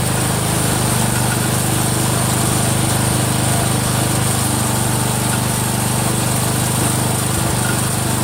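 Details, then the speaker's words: Cub Cadet 102, freshly rebuilt Kohler single-cylinder: steady run with light regular click three to four times a second; front pulley coming apart, not a loose rod. "well we found out our pulley shot in the front coming apart so that's what that clicking noise was you use you guys are hearing there's nothing wrong there the rods not coming loose or not is that damn front pulley"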